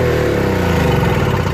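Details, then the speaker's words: Toro 38602 Snow Commander snowblower after primer bulb replacement, pull-started, no load: steady even drone with smooth firing, no misses or bogging; normal running, carburetor appears clean. "we know that that engine runs just fine the carburetor seems clean because it runs no problem without bogging down"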